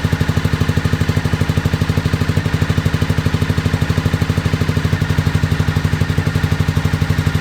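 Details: 2001 Honda VFR Interceptor (Gen 5) V4 with White Bros slip-on, barn-stored nearly a decade; hollow, lopsided thumping about three beats a second, misfiring; runs only at half to near full throttle, 1,800–2,000 rpm; owner suspects mouse nests partly blocking exhaust, FI light on; unconfirmed.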